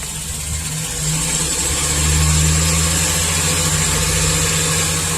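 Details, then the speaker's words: Chevy Express V8 at about 330,000 miles, with number 1 cylinder walls scored and leaking compression into the crankcase, after an in-can ring-freeing treatment: fairly smooth idle with an occasional sharp exhaust pop. Misfire remains. "I mean this thing's smooth I don't feel nothing just you get a pop every once in a while"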